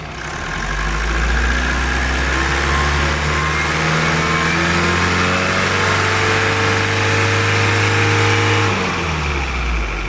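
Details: Mazda Skyactiv diesel after turbo refit and camshaft replacement, revved with subframe still off; pitch rises and holds then drops cleanly to idle, no knocks or whistles: normal revving.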